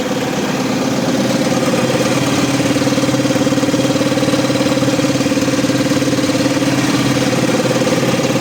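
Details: Renault Midlum DXI5 220dxi 5.0L 220 hp truck diesel idling steadily and evenly at about four beats a second with a constant note and no stumbling; the truck had a hard-start problem traced to a leaking fuel filter.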